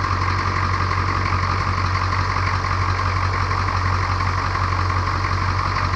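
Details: 1982 K20 Suburban diesel 4WD 3/4 ton, revived after 3+ years sitting, restarted after a 20-minute run and coolant drain: a steady idle with even clatter at about four beats a second over a deep rumble. It is running smoothly.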